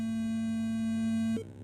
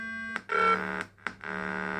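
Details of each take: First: ProConn fruit machine board with test ROM on a PC90/PC92 board: steady mid-pitched tone over a second then a short higher chirp; board test signal working as expected. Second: ProConn fruit machine board test program: after power is cycled, it scans inputs at startup and sounds a steady, continuous buzzy warning tone, flagging a stuck switch input or output.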